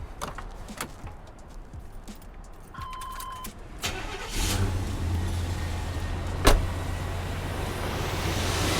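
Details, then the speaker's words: 1990 Chevrolet Silverado 1500, 350 V8, original owner, 54k miles: door chime, quick crank and catch into a quiet, smooth, even idle; no blow-by, oil cap not dancing, starts easily every time; healthy start and idle. "quiet, no blow-by. You can see, cap's not dancing. Very healthy."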